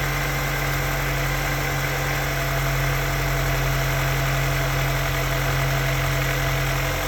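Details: Honda S2000 petrol engine idling evenly, with a steady weird whistling tone over its low hum.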